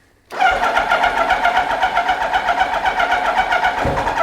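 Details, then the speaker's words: Kawasaki Ninja motorcycle, dead cold and in neutral, on a first start attempt. Steady, even starter churn at about four pulses a second that never fires. Owner unsure whether it has fuel; it cranks but won't start. "Come on. Do we have fuel? Maybe, I don't know."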